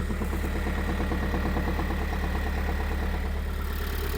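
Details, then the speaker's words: 2022 Kia Sorento 2.2 diesel at idle, listened from below near gearbox side: regular light knock about three per second, like the noise from shaking the dual-mass flywheel; suspected damper flywheel, knock vanishes once warm, no error codes. "Слышно прямо не с двигателя, а с коробки этот звук слышно. И это тот звук, который я шатал ээ демфер, когда она ещё в коробке была."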